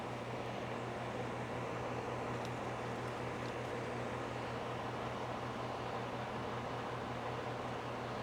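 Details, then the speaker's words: Home A/C condenser with a rebuilt sound blanket installed, heard from about 5 ft (about 64.5–65 dB), much of it fan noise: steady low hum with even fan whoosh, no rattles or grinding; normal. "Remember, a lot of this is fan noise, too."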